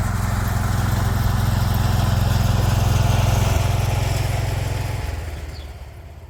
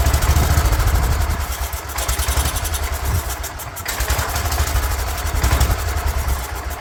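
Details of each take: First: 36-year-old Toro Wheel Horse 416-8 garden tractor, first run after a leaking fuel line that kept fuel from reaching the carburetor was fixed: steady, even single-cylinder thump at constant speed, no misses or surging, winds down smoothly; running normally. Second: 36-year-old Toro Wheel Horse 416-8 garden tractor, after the coil was corrected: small engine chugs unevenly, surging and sagging instead of holding revs; a leaking fuel line is not pulling fuel through the carburetor, and once fixed it runs.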